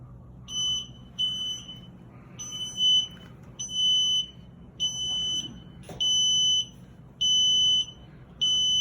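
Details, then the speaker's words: Sunlit power wheelchair joystick switched on in electric mode emits a repeating beep code, two short then seven long, indicating joystick failure per the troubleshooting manual; replace joystick or chair. "beeps and seven long beeps which is showing from your troubleshooting manual it is showing that it is a joystick failure so either replace the joystick or replace the entire chair"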